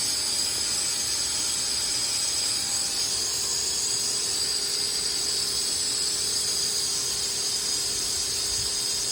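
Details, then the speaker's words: Truck exhaust pressurised with shop vacuum, engine off, after aftermarket Flowmaster muffler and 3-inch pipe install: thin steady whistling hiss at two non-airtight clamp joints near the cat, soap bubbling; welds don't leak. "I don't know if you can hear that whistling sound, but that's coming from where the clamps are."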